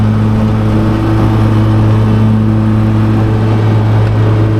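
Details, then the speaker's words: Mower cutting thick grass at a 4¼ cutting height: a steady engine drone drops to a low, labouring note; the engine bogs under the heavy cutting load. "You can hear it bogging down Hang on."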